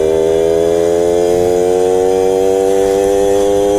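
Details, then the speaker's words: 1997 Suzuki JR50 50cc two-stroke kids' dirt bike, restored, pulling away in second gear: buzzy note sags and drags in pitch instead of climbing, bogging off the line with no low-end torque. "off the line like you can feel it and hear it you feed em I tell you're starting in second it has like no torque down low"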